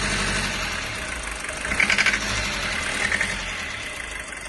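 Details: 1995 Toyota Hiace 1KZ-TE diesel idling with white smoke and an uneven, sharp rapping knock over the clatter, loudest in a short burst mid-clip; owner unsure whether timing, fuel or valve problem.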